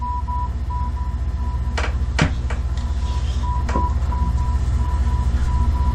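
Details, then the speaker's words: AALogic cable fault locator, hand coil just beyond aerial resistive fault: faint steady beeping under hum and handling clicks; very weak tone, peak about 7 past fault versus about 63 before it. "is a point just beyond the fault we still have some tone but it's very very weak"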